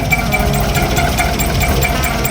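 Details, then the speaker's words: VW Golf Mk1 1.4 carburettor, an abandoned car newly started: loud, busy idle with a fast clattery rattle from somewhere in the engine bay; a dead spark plug is suspected for a misfire; no smoke or oil leaks; it then cuts off. "there's a noise somewhere here, but I'll deal with that. It just cut off, but that's nothing serious at least."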